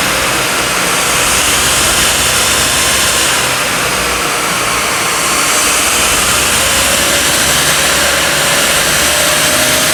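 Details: 2007 Mercedes R63 AMG, 6.2-litre M156 naturally aspirated V8, 111,000 miles, on a dyno in fifth gear at about 160 mph: a smooth, steady roar under wind and roller noise with no vibration. The engine runs healthy.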